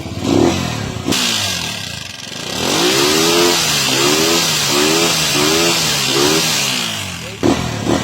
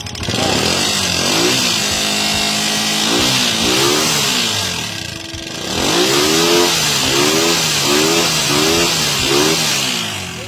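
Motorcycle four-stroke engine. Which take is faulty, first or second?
second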